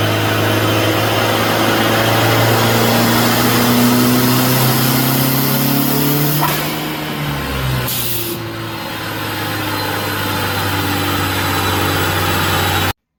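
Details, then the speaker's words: Honda CRX on the dyno after partial pulls: engine hangs at raised idle, dips briefly, then settles to a steady but still high hum; sticking throttle not returning fully. "So you can hear the throttle is sticking."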